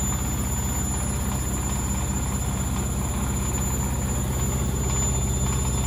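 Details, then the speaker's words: Candy Grand O Vita GV139D3 9 kg washer on a 14-minute rapid wash, extra final spin with about 1 minute left: a steady fast spin with a smooth four-per-second drum rhythm and a clean high whine, no banging or grinding, a normal high-speed spin. "There wasn't much more water came out. A litre and a half with that extra spin there at the end."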